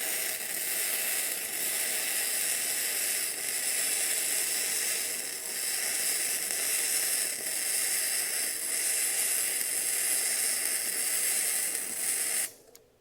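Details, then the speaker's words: Bestarc entry-level gasless flux-core MIG welder set at 120 amps, laying a good weld but straining at that setting. Steady, crisp frying crackle for about twelve seconds, then an abrupt cutoff: a sound, stable arc. "So that's laying in a good weld. It sure doesn't like that being at 120 amps either."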